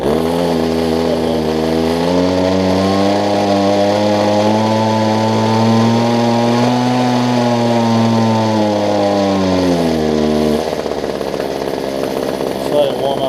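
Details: Older Homelite two-stroke hedge trimmer after new fuel lines and primer bulb: buzzy steady high note rises then settles to idle; running normally, needs warming up.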